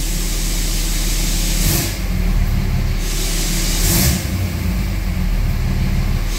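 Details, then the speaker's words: 2004.5 Dodge Ram 3500 diesel after heating cycle, following crankshaft position sensor work for slow start and rough idle: deep, steady rumble with no stumble or hunting, brief occasional hiss; idle smoothed out, slight jump remains. "Not idling like it was, so that's a plus. Idle smoothed out."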